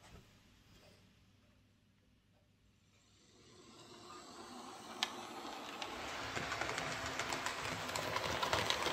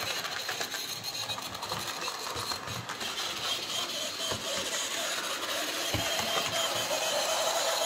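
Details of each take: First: Hornby J36 model locomotive after lubrication with mixed gear oil and grease to cure screeching: motor hum builds with speed, steady fine wheel ticking on track, no screech; running cleanly. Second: Hornby J36 model locomotive, bought new that year, run after months unused: thin high-pitched screech over rapid light mechanical chatter, building as the motor keeps running, same in reverse; lack of lubrication suspected.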